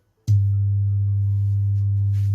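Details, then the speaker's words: Radio/subwoofer amplifier: loud, steady low buzz-hum starts the instant it powers on, traced to a failed 2030 amplifier IC in the tweeter section, to be replaced. "Okay, so this radio is producing like a funny noise. So that's the problem for this thing."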